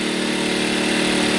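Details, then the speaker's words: Sportsman 1000 W surge/800 W inverter generator, newly started: economy mode turned off, engine speed picks up to a steady even buzzing hum at full speed, running normally. "we're going to turn the economy off you can hear it pick up a little bit"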